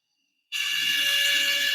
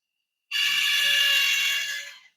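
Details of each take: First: Woodland Mills RS30 Pro sawmill bandsaw blade sharpener, motor running normally: even, airy hiss with steady high tones; an overtightened pressure plate causes a slight whine. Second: Woodland Mills RS30 Pro sawmill blade sharpener, grinding head down with the pressure plate too tight: the motor gives a thin steady high whine over a light buzz. It is subtly quieter when the plate is backed off.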